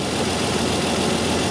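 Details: 2002 Isuzu Rodeo LS 3.2 L V6 with severe misfire and low power: the warm idle is uneven and lumpy with exhaust chuff from exhaust leaks. The two upstream O2 sensor connectors were swapped, driving bank 1 fuel trim negative and bank 2 strongly positive.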